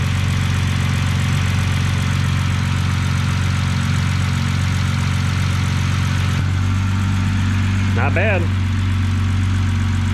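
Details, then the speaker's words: 2006 BMW 325xi inline-six after replacing a faulty fuel injector to cure rough running: steady low idle with an even hum, no misses or stumbles; running smoothly. "all right running nice and smooth now"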